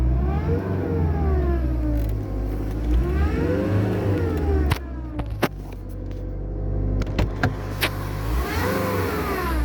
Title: Strange engine sound. 1.7 CDI Mercedes A class. Does anyone know why this sound is heard.